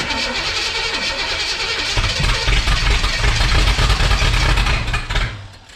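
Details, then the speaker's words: 1962 Chevrolet Impala 350 V8 after timing adjustments: cranks, then catches into a lumpy, uneven run and cuts out. Rough start, apparently firing on two cylinders at most with spark on all; valve adjustment suspected. "All right, after looking everything over, I'm going to go out on a limb and say he's got the valves not set correctly, because I feel like I'm only firing on 2 cylinders at most."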